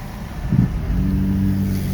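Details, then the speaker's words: 2005 Kia Sportage at about 220,000 miles, throttle floored on the road, holds a low flat drone and won't rev or go, with some smoke. "Right now I'm pushing all the way to the floor. All the way to the floor, but the car didn't go. Didn't go."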